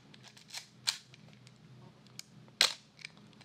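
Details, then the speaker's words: Yashica TL Electro-X SLR with a Copal Square shutter, fired in normal mode without mirror lock-up: two crisp, sharp clacks about a second and a half apart, each with a snappy mirror slap. A healthy shutter release. "when I'm shooting at slower shutter speeds to dampen the mirror slap and you can hear the difference here's what the camera sounds like in the normal"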